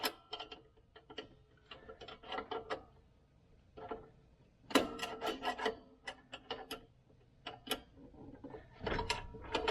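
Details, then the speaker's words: 2006 Jeep Wrangler rear drum brake after adjuster clicked out: wheel turned by hand gives short, light, even scraping swishes, a slight intended drag; light brake shoe drag, properly adjusted. "it's going to have some difficulty in turning that's what I'm looking for I want a little difficulty in turning I hear it drag"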